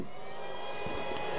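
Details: Stock converted HP server power supply powering an RC charger: constant rushing airflow with steady high whine; fan running normally, loud but not mind-numbing.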